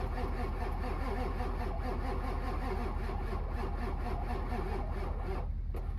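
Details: Ford 7.3 Powerstroke diesel with 740k miles, not started in months, cranked in winter: an even starter churn at about two and a half beats a second for six seconds with no catch; long crank, hard start.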